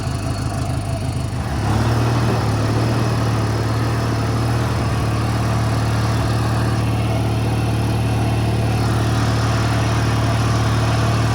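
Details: 1985 riding mower small engine after kill-switch rewiring: catches after a second or two and settles into low, slightly uneven thumping idle; rough idle, owner plans raising idle speed or adding Seafoam.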